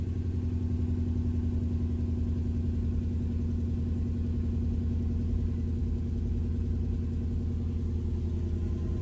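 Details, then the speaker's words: 2003 Infiniti M45 V8, salvage car: uneven stumbling idle with a recurring dropped pulse and a popping like arcing; misfire returned after restart, and a failing ignition coil pack is suspected. "I started missing again so I'm gonna switch the coil is more than likely that's coils and I can kind of hear a popping noise like it's arcing so I'm pretty sure it's a coil pack"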